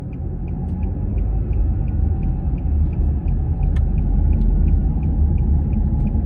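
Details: Nissan X-Trail T31 while driving: a thin steady whine over road rumble at constant pitch; whining noise, owner unsure if CVT transmission or wheel bearings.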